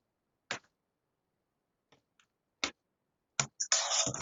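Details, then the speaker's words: Electromagnetic mechanical relay in a lab circuit driven by a waveform generator: sharp, isolated clicks at uneven intervals as the contacts switch; normal operation. "e do have a clicking going on on the relay so the the relay is in the circuit now"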